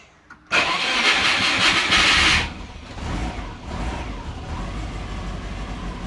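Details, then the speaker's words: Subaru sleeper with aftermarket ECU, starting the day after the crank/cam wiring shield ground fix: about two seconds of loud cranking before it catches, needing throttle, then a lumpy uneven idle. Hard start; owner suspects transient throttle settings or calibration. "All right. Transient throttle is not helping with startup. All right, we got an idle now."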